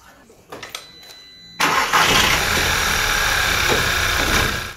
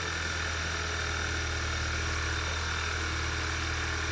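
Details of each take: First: VW/Audi EA888 2.0 TSI/TFSI petrol engine cranks, catches and settles into an uneven lumpy idle and shakes; OBD showed cylinder 3 misfire, traced to a faulty ignition coil pack by swapping coils between cylinders 3 and 4. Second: VW/Audi EA888 2.0 TSI petrol engine idling steadily and evenly with a smooth low hum, no stumbles or shaking, after a faulty ignition coil pack causing a cylinder misfire was found by OBD and swapped.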